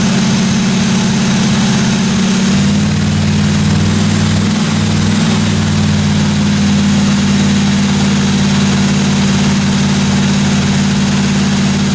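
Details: 1957 Chevy 210 project car at idle during its first-run camshaft break-in of about 20 minutes: steady, even smooth low rumble with no valve-train ticking or knocking; valve train sounded good, normal idle.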